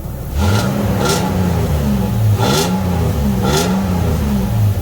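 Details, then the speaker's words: 2008 Toyota Tacoma after a Walker Quiet Flow stainless muffler install. A deep, even, quieter exhaust note rises cleanly with each throttle blip and settles back, with no rasp or rattle; normal exhaust. "Sounds a little better. Alright, so we got the new muffler in, and we're going to see how it feels."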